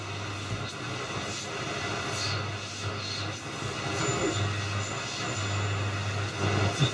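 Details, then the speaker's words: Chapman S6 valve tuner on first check, medium wave, heaters on, high voltage raised to 200 V drawing 26 mA: faint station under hiss, crackle and low hum; receiving but poorly, nearby electronics may interfere. "it's clearly receiving something but it's pretty poor so"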